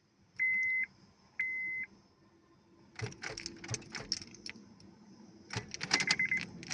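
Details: Honda Civic 8th gen no-start: two short high beeps about a second apart, then keys rattling and clicking with no cranking; cause unclear.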